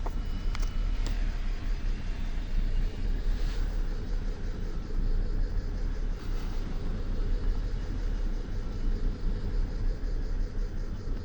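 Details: BMW N53B30 cold start with new spark plugs and coils: after about a minute it misfires into a rough idle, deep uneven rumble with a lumpy stumble, P0306 cylinder 6 misfire, engine shaking.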